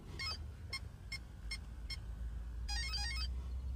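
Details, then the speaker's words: Multiplex Mentor electric trainer, LiPo plugged in through GT Power watt meter, throttle at neutral: five short even beeps about 0.4 s apart then a quick rising tune from the ESC; arming normally, drawing about 0.7 A idle. "I've got the power me uh GT power Pro watt meter under 30 amps and a switch on and you'll hear a series of beeps coming from the electronic speed controller"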